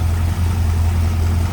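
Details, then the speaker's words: 1951 Ford F1 pickup, hood open, 302 small-block Ford V8 with Edelbrock intake: deep, steady low hum at idle, no ticking or knocking; smooth, quiet, healthy idle. "Sounds good, nice and quiet, smooth running 302."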